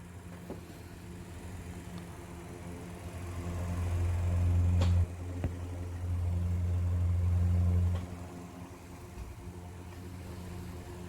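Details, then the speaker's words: Vintage Elcon disc fan from about 1930 after oiling and refurbishment: a steady low motor hum swells smoothly as it spins up and holds an even speed with no scraping. It is no longer wobbly and spins freer, running properly. "that's working fine it's not wobbly anymore it's actually spinning freer now"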